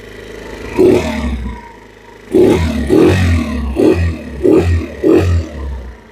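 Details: 2022 Chinese carbureted scooter that had a bad carburetor, during warm-up with idle set slightly higher: several quick throttle blips, each rising cleanly and falling back to an even idle without stumbling; it responds normally.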